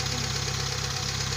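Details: Kia Pride CD5 that would not start despite new spark plugs, high-tension cables and a strong battery, now starting on one click: steady even low idle pulsing, no misfire or knock; idling smoothly.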